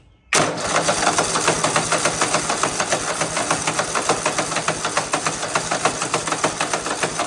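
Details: Husqvarna RZ 5424 zero-turn mower after no-start fix and tune-up (air filter, plugs regapped), choke on, idle set slightly up: engine fires at once and holds a quick, even idle with steady firing pulses, no misses or hunting; normal idle.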